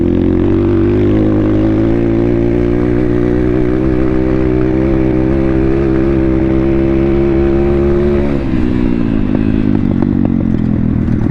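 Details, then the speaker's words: Thumpstar pit bike, previously flooded through a pond, after oil changes and a carb clean. Steady buzzing pull that suddenly sags and bogs under throttle, then rips again. Cause not found. "The bike's running like 50% and sometimes it works like decent and then other times it just doesn't want to run at all. It's freaking weird. All right, let's see how she's Bro, you see how it bogs out for a second."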